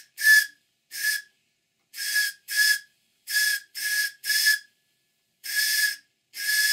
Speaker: is the main thing because the steam boiler is new it's doing something called priming and this is generally due to impurities in the water from the silver soldering process